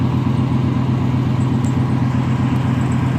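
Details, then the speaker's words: 1994 Chevrolet Silverado V8, started after a few days sitting: steady even idle with low rumble, no knocks or ticks; healthy. Rear end whines, needs replacement. "It pretty much fires up. Turns over just a couple times and she usually hits."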